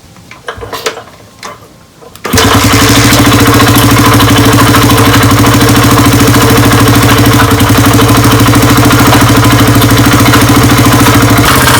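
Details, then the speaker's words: 1998 Honda XR80R, a non-runner that had sat for a long time, on its first start in cold weather. It settles into a loud idle with a sharp, even clack about three times a second from the top end; a head or piston problem is suspected but not confirmed. "oh a definite clacking in there I think I'm gonna have to take the head off does not sound good"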